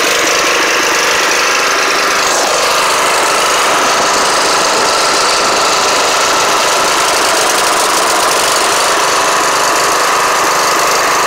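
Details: Snapper riding mower on its first start in 4 years, uneven, ragged, lumpy note with no steady beat; rough running, cause not clear.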